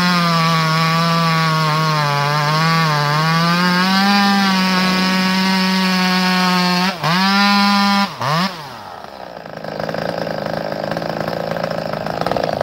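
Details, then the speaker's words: Chainsaw held at high revs with a rough, fluttering buzz through the cut, then dropping away; it chatters instead of cutting smoothly, not as smooth as straight out of the box. "you see and hear that chatter it Chatters it's not as smooth as still is right out of the box"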